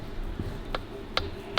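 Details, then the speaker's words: Harley-Davidson WLC 45ci engine on the bench, heads off, piston at the top rocked by hand: three sharp metallic clicks from too much piston-to-bore clearance, which causes piston slap. It may need a rebore and new pistons. "and you can hear it knocking yeah yeah that's too much play let's try the other one i can see just by looking down that is too much so big gap there look that'll give you what i call piston slap so you'll never ever quieten that down"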